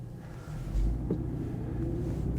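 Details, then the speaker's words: 1996 Jaguar XJ6 X300 abandoned five years, rolling slowly under 40 km/h: heavy low drone with faint rising whine; worn rear differential, worst ever heard. "Yeah, it's worse. This is the worst I've ever heard."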